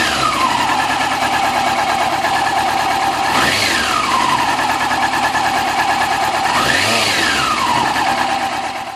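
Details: 2000 Yamaha YZF-R6 four-cylinder after cam chain tensioner replacement to cure a tick at idle: busy, even note with two quick rev blips rising and falling smoothly, no tick at idle; normal idle.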